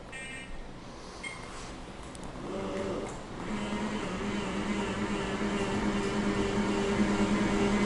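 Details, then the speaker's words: Jazzy 1103 Ultra power wheelchair, 1 hour of use, 5-inch power seat lift lowering fully: steady whine builds and holds, no grinding or catching; normal seat lift motor whine. "That noise is normal. That's a perfectly normal noise for that seat lift."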